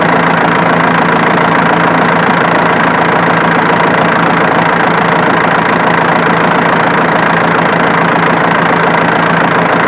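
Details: Diesel engine idling with a quick, fairly even snapping tick about twice a second over the clatter, located with a camera; the click comes from the alternator, not the injection pump as suspected.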